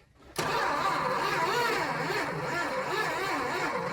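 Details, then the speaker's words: 1976 Dodge Dart barn find, engine unstarted since 1997, with borrowed coil, one spark plug missing and fuel line unhooked because of old gas; starter turns it over in a steady lumpy churn that never fires; cranking without starting. "You got a crank."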